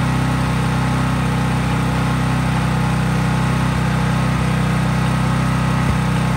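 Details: Craftsman 5000-watt generator outdoors after a cold start, at full speed with no load (only an LED bulb plugged in): a steady, even hum at constant speed, no hunting, surging or knocking; normal healthy running.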